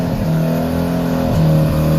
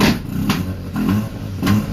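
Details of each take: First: Freshly resprayed rotary-engined car after sitting for some time, cold start on low battery power: catches quickly and revs briskly with a smooth, busy rotary buzz before dropping away; healthy cold start. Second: Car started after months sitting on old gas, being warmed up: rough pulsing revs with sharp popping crackles about every half second; owner unsure whether exhaust crackle, apex seal or rod problem — cause not confirmed.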